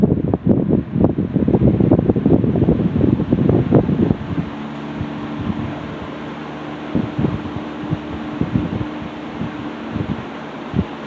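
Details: Restored 1960s Phoenix 16" box fan by Frigid with freshly serviced General Electric motor, started on low: brief knocks at start, then soft even hum and gentle air rush, no grinding or rattle; normal running.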